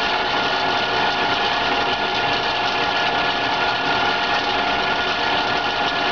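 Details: PMI BRISA evaporative cooler, model WH2903A, after about 60 hours of use: loud steady buzzing rattle over the motor hum with pump and blower on, sounding like a bad bearing or bushing. The blower wheel had shifted and was rubbing the housing.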